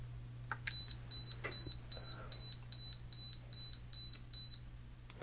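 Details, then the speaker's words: Tandy PC-1 / Sharp PC-1211 pocket computer with bad LCD, running a BEEP program to test it before fitting a new LCD; ten clean high-pitched beeps about 2.5 per second over a faint low hum, unit alive. "but at least there's a shot of making it do something you make it make a beep so you can see if it's alive before you try to put the lcd in there"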